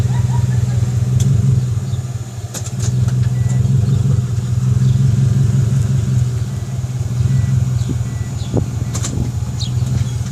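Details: Subaru WRX while driving: low rhythmic thrumming about three beats a second under road and engine noise; owner suspects an axle though no play found, brakes and dust shield checked fine.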